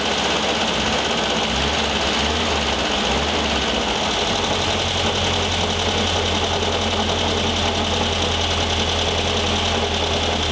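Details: 1973 VW Thing type 181, sat for years, first runs after revival: steady idle with constant rough whirring rattle over the engine note; owner feels something lodged in the cooling fan and plans to remove the belt; revved it sounded good.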